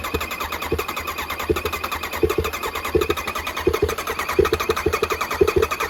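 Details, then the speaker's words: Kawasaki ZX-9R after over 4 years stored outdoors, fuel tank removed to check the pump: fuel pump relay ticking with light uneven clicks, about 85 a minute, over the low steady hum of the running pump. "all right so I've got the tank out of the way so I'm gonna quickly check and make sure the pump is working and the relay is ticking"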